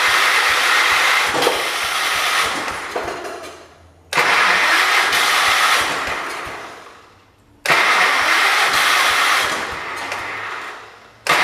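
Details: John Deere 212 garden tractor, old fuel possibly containing water: three bursts of steady cranking, each winding down without catching, a plain crank-no-start; fuel and carburetor suspected, not confirmed.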